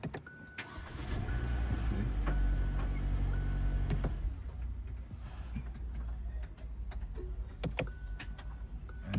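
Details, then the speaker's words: 2019 Hyundai Elantra not starting: uneven cranking with clicks and a brief whir that cuts in and out, sometimes engaging, sometimes not; engine never catches, starter suspected. "And the key is back and the car is not starting. You can see, sometimes it will spark, sometimes it will not spark."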